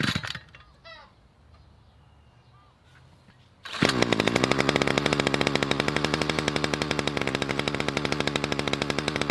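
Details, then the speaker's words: Budget petrol two-stroke trimmer, four years old, after replacing the fuel line and priming: it fires and settles into a fast, steady rattle at even speed; it now runs properly. "Got there in the end. Seems to be running all right now."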